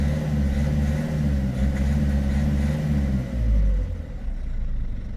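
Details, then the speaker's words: Peugeot 3008 1.6 HDi diesel, EGR and turbo already replaced, P0339 intermittent engine-speed signal: low drone under acceleration that falters and sags midway; crankshaft position (TDC) sensor dropping signal, possibly dirty. "après effacement et plusieurs essais du véhicule qui présente toujours les mêmes symptômes on a le p0339 signal régime moteur signal temporairement erroné ou absent donc on a le capteur PMH qui est défaillant et qui cause ces troubles à l'accélération"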